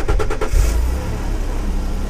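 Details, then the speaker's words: 1995 Renault Safrane Bi-Turbo, 268 hp twin-turbo V6: quick cranking bursts, then catches into a deep, even idle with no knocks or ticks; healthy start. "Alors effectivement le bruit moteur Oui, c'est voilà voilà un V6 on voit que 6 cylindres c'est un peu rou derrière quand même."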